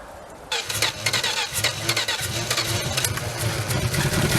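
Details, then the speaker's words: 62-year-old Dodge sitting 20 years, first start: turns over easily, catches on poured-in fuel with sharp uneven popping and rising exhaust roar, runs briefly then dies; fuel delivery likely not yet supplying it. "You probably couldn't hear it as good from up front where you were, but I was in the cab and that exhaust sounded awesome."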